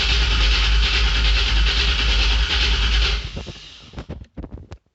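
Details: 1984 Corvette with Vortec heads, GT45 rear-mount turbo, Megasquirt 2 and new tune: even fast cranking about 3.5 beats a second with no firing; injector fuses left out of the fuse box, so no fuel.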